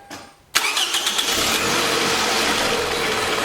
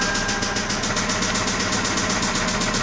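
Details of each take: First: 2006 Toyota Camry 2.4L, first start after replacing a knocking high-mileage engine: quick crank, catches at once, brief rattle in the first second while oil circulates, then smooth steady idle, no leaks; normal start and idle. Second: 2006 Toyota Camry 2.4L with 241,000 miles, restarted after hard starting (jumped timing first suspected): sharp, regular knock about seven per second over a rough idle; knocking engine to be replaced, cause unknown.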